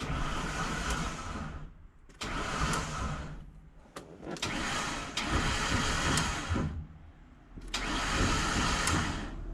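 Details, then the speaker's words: Van with good battery and damaged alternator, cranking: repeated harsh metallic grinding bursts of one to two seconds with short pauses; starter motor confirmed completely failed. "Ah, starter's gone. Start is 100% gone."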